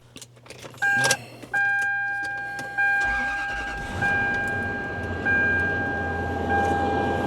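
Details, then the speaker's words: 1999 Toyota Land Cruiser 100 after battery replacement and oil top-off: door chime, brief crank, engine catches and settles into a steady even idle; normal start and idle. "yep it works let me show this to you look at this check this out got the key key fob needs to be [Music] fixed sounds amazing dude sounds amazing love this thing"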